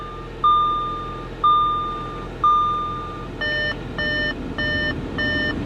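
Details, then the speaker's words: 2015 Audi A4 Premium S-line at auction, just started, idling with heater on: repeated electronic chime about once a second over a quiet engine, the door-open warning, stopping when the door is closed; no mechanical noise. "I don't hear any noise I mean other than this annoying beeping which maybe close the door there we go that's better"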